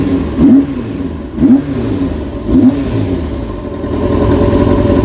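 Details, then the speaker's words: Kawasaki Ninja being rebuilt, first start with casings back on; plugs not yet checked: three quick throttle blips rising cleanly and falling back to a smooth idle. No more stuttering. "sounds good did sound good now bear in mind i haven't even looked at the plugs on this yet"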